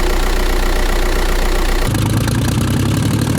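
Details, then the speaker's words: 2002 Ford Mustang V6 whose previous owner blew up the engine, which was clanking before and now runs. Rough, uneven idle with a heavy diesel-like clatter about three beats a second. Thrown connecting rod; an engine swap is planned. "basically I bought it from previous owner that blew up the engine I'm actually surprised it runs still because when we tried it before it was clanking but now it's actually running"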